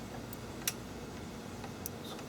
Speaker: i can hear the relay clicking i think it's like a 24 volt relay